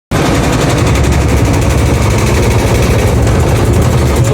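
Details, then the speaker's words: Washing machine making heavy noise during spin: rapid, heavy, uneven thumping throughout as the basket knocks the cabinet. "máquina de lavar está fazendo muito barulho na centrifugação?"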